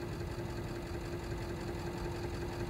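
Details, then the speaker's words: Bobcat 543 with a 2-cylinder Isuzu diesel that starts hard when cold and needs 20–30 seconds of glow plugs. Low, uneven, lumpy idle clatter just after a cold start; the owner suspects air in the fuel and gives more glow plug. Cause unclear. "maybe we got some air in the fuel there she goes oh not quite give her a little bit more glow plug"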